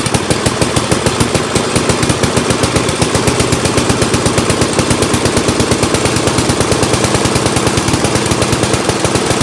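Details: Old Montgomery Ward Power Kraft small engine on first start after Welsh plug cleaning, choke and throttle up fully: fast, even, sharp exhaust pops with no gaps at a steady pace; running properly.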